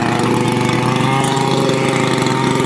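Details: Makita EA3203S chainsaw, briefly warmed after starter ratchet replacement and fuel hose reconnection (previously raced and stalled after seconds): even, steady two-stroke burble with a quick regular pulse, no misses or hunting; healthy idle.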